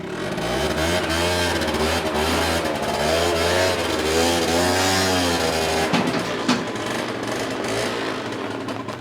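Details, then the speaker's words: Piaggio NRG two-stroke scooter after wheel powder coating, new rear tyre, painted exhaust, short ride in heavy rain: revs up and eases off smoothly without stumbles; engine sounds sweeter, running healthy, though earlier reluctant to start. "But as you can see there, just that little ride up there, this engine sounds sweeter than that."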